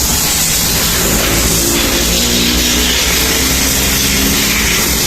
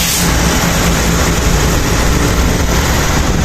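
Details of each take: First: Honda Click 125 scooter, rebuilt after it was noisy and burning oil: the engine ticks over steadily but slow and lazy. The idle is low and still needs tuning, though the engine is now quiet. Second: Honda Click 125 rebuilt after noisy engine with heavy oil consumption: steady even low idle hum, no knocking or rattle, idle speed a bit low and still to be tuned; now quiet.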